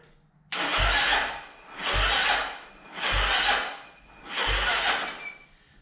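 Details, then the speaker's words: 2009 Yamaha Raptor after an engine rebuild, first crank: the starter drags in slow, laboured surges about once a second without catching; owner suspects the wiring and a low battery. "not cranking fast enough kind of upsetting"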